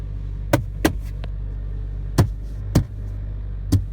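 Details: Brand new 2016 Honda Civic VTI-L sedan: sharp, irregular clicks and ticks from the dash over steady low road rumble, clear on rough roads or uphill; dealer servicing did not fix the dashboard rattle.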